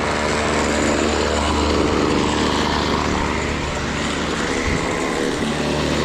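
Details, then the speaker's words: BC 2500 LE two-stroke trimmer, after the fix and with the idle turned down: a steady, even idle with no surging, and the head no longer spins. Idle is now correct. "About good. Idling, that's not spinning."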